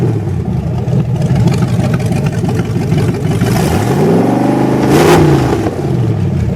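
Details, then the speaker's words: 1928 Dodge with 440 V8, freshly broken in: cam broken in, timing and carburetor set, overheating fixed by welding fan to hub (stays at 180°F thermostat), no metal in oil filter; steady deep rumble climbing cleanly on throttle blip and settling back; healthy. "gotta love the sound of the ballpark yeah"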